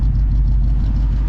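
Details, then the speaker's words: 1969 Pontiac Bonneville Safari wagon with its original 428 V8, after a new oil pump, rear main seal and oil pan repair, with new dual glasspack exhaust; steady deep drone at highway speed, no knocks, ticks or rattles, running healthy. "Well, I don't hear the engine coming apart. I don't see steam coming up from under the hood. All I hear is glass packs, baby."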